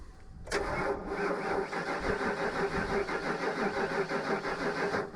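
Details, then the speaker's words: 1949 Chevrolet truck, sat about 6 months to a year, key cycled to build fuel pressure: silence, then steady cranking about ninety beats a minute that never catches; long crank, hard start. "Cycle the key just a couple times to let pressure get up and then try. You'll have to feather it once it starts like that."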